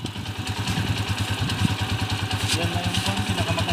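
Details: Yamaha Mio Sporty scooter engine after teardown and replacement with original magneto set, previously noisy timing gear and knock: single-cylinder idles with a steady, even low thump, quiet, no knocking or clatter; normal idle.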